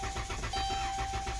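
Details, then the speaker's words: Towed-in no-start car with TIPM and a newly replaced starter, battery at 2.4 V and jumped: steady starter churn with even compression pulses but never catches; cranks but won't start. "they put a starter on it because it won't start not because it won't crank that's a totally different complaint guys"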